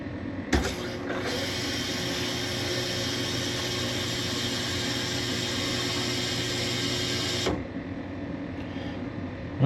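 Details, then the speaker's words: Frigidaire Gallery (Electrolux) refrigerator, newly replaced OEM ice maker water inlet valve after the old solenoid stuck and buzzed: clean click-on, steady seven-second water rush with faint hum, crisp shut-off; normal fill, no leaks. "Okay, so that solenoid opened and pushed water through and no leaks anywhere. I am happy with that."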